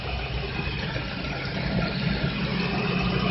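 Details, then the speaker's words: Car at idle after loosening overtightened drive belt (alternator and power steering tension): steady even idle, no squeal or chirp; belt noise caused by too much tension, now gone after adjustment. "Ang sikip yung brake kanina, ngayon diluwagan, ngayon wala nang ingay. Ang sikip na kanina, ngayon diluwagan, wala nang ingay."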